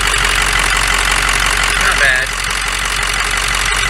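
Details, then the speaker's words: 2006 Ford F550 Lariat 6.0 Powerstroke diesel just started and warming, possible prior head gasket work, some blow-by puffing: loud idle with rough uneven clatter over a steady drone. Noisy knock at idle, cause not pinned down. "definitely got some noise to it honestly it doesn't sound too bad"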